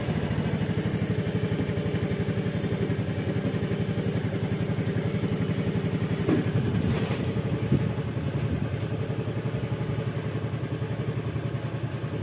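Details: Yamaha Fazzio scooter (made March 2022), battery-drain problem, idling on a recharged battery with charging about 13.8–14 V: steady, even idle with a soft low patter, no knocks or misses; sounds healthy.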